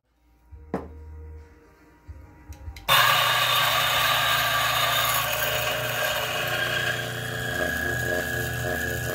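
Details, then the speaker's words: DF64 single-dose coffee grinder set to 75 (coarse): after a few clicks the motor spins up to a steady, even whirr with a light gritty texture and no scraping; normal grinding. "so it's like normal i think the bellows gets out a lot of fines"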